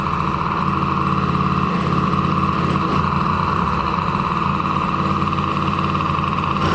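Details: DRR 90 single-cylinder idling after a water pump rebuild (a damaged shaft had caused the seal leak), coolant topped off and checking for leaks. Steady, even, smooth beat with no misses or knocks; sounds healthy.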